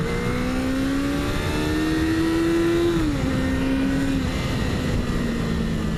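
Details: 1977 Honda CB400 Four on road after rebuild with new exhaust: smooth, even four-cylinder drone under wind noise, rising and falling cleanly with throttle; owner judges carb sync close, before CarbMate synchronisation; running healthy.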